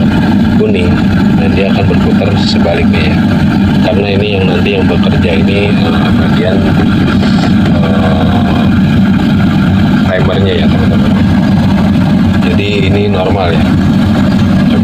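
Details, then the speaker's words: Denpoo twin-tub washing machine that only hummed, tested after the brown supply wire was moved from red to yellow to test rotation direction: steady motor hum and sloshing water as the tub spins freely, no stalling. The wash motor runs normally. "Nah, kita putar ya, Teman-teman ya. Artinya ini sangat normal ya."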